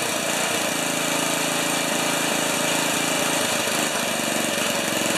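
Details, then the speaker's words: 1973 Tecumseh snow blower engine started at mid-range throttle with choke, on a lift; steady even buzzing run with no misses or knocks, though augers and wheels turn whenever the engine runs, with no neutral. "we're on the lift we're the the auger's turn as soon as the engine runs that's the only thing that bothers me about this"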